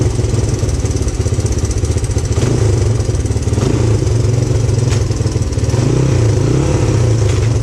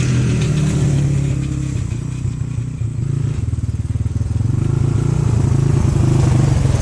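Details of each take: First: 1997 XR200R barn-find dirt bike on non-ethanol fuel, started after the leaking O-ring was sealed with gasket maker. Crisp, even single-cylinder thump that picks up cleanly on throttle blips; runs healthy. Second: 1997 XR200R after 10+ years stored: single-cylinder thump loping and surging about four beats a second instead of steady idle; runs rough, owner suspects goofy mixture and could benefit from new spark plug.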